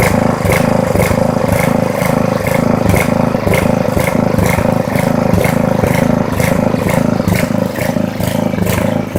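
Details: Poulan 900 rototiller small engine, barely used, with dark muffler deposits: runs unevenly, surging about twice a second with rattly clatter; blamed on wrong air-fuel mixture with no air filter (paper towel test) and oil burning off; carburetor may need replacing.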